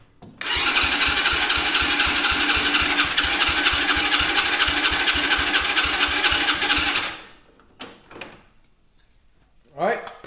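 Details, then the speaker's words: Mini Jeep with a Chinese-quad-type small engine, hard-start complaint, after starting fluid was sprayed into the intake: about seven seconds of steady cranking with regular compression pulses, never catches; compression seems present, spark plug wet. Cranks but will not start. "well I can tell you by the the sound it sounds like we have compression spark plug's wet smells like starting fluid"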